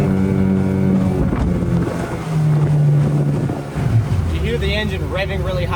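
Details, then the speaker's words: Unbranded Yamaha Enduro-style 20 hp two-stroke outboard, brand new, trimmed up a peg under way: motor note climbs sharply and hangs high without more thrust, prop cavitating; owner suspects transom height or a shaft about an inch short of long-shaft. "it's cuz it's cavitating. And I got to double check a my transom height and b that this is actually a long shaft motor because it seems like a weird size."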